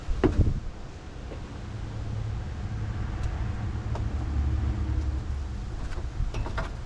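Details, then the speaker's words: 1969 Pontiac Bonneville Safari station wagon, 428 V8, sitting since 1981 (parked 45 years), start with starting fluid: low steady rumble with nearby clunks, no clear knock; rough running after long storage. "Man, that belched. Wonder if it's going to start easier now that it kind of got it out of its system."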